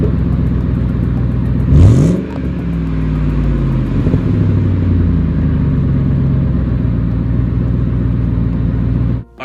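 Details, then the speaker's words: Exhaust pipe after being welded up: engine blips and falls back to a clean, even idle note, and the ticking heard before the weld was finished is gone. "guys so as you can tell in here the exhaust sounds so much better"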